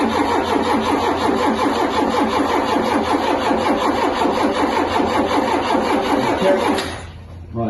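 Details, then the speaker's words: Ford Mk2 Capri 2.0 GT Pinto engine, not run for many years, first crank after filling the carb with petrol: steady, even, unlaboured starter cranking, turns freely (not seized) but never catches; cranking no-start, spark not yet checked. "it do seem to be doing anything at all there it's not seized but it's not seized we know that"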